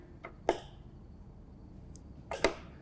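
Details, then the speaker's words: John Deere riding mower, key turned on after the carburetor fuel solenoid was replaced: quiet, with short sharp clicks at the front of the motor as the new solenoid engages; normal fuel solenoid click. "whenever we turn our key switch to the on position, you should hear a click right there at the front of the motor, and that is going to be that solenoid engaging."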